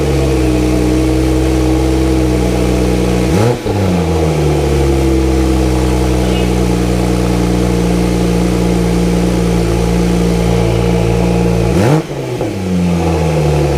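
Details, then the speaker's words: Wrecked Porsche Turbo S rebuilt with GT2 RS conversion exhaust, first start after both intercoolers installed: steady idle with two sharp blips that climb and settle cleanly; exhaust clean, not too loud or quiet, no rattles or leaks. "Alright, you guys heard the exhaust. Sounds really nice and clean. Not too loud, not too quiet."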